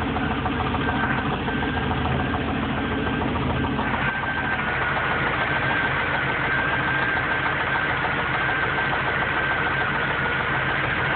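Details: Engine idling after low oil found four months after an oil change: fast, uneven deep knock, about three or four per second; owner thinks it comes from the heads, mechanic says rod knock, lifters also suspected.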